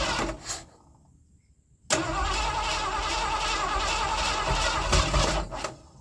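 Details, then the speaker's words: 1979 Ford F-100 that sat for years, first start in snow after filling the carb bowls with fuel: cranks briefly, catches cleanly and holds a smooth, even idle with no stumbles or backfires. Normal start and idle. "She runs good."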